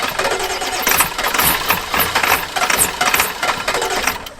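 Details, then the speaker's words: Old farm truck with a 7.3 diesel, in winter. The starter churns unevenly for several seconds with no catch, a long crank with no start. The gauge reads half a tank, but the crew suspects it might need fuel; the cause is unconfirmed. "Oh, come on, girl. She might just go, or she might need fuel."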